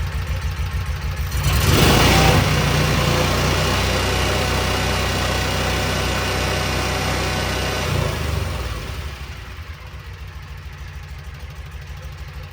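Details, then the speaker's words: 2012 Kawasaki Mule 4010, liquid-cooled V-twin, about 250 hours, after a broken spark plug was replaced: both cylinders now fire. It picks up quickly, pulls strong and even at full throttle, then settles smoothly with no stumble. "Boom. Boom. Hitting all two cylinders now. Give it a little gas."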